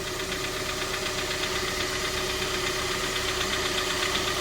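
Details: High-mileage 2012 Kia Sorento 2.4 L engine idling after an oil change: a steady warm idle with light, even ticking at about two to three per second. Normal, healthy idle.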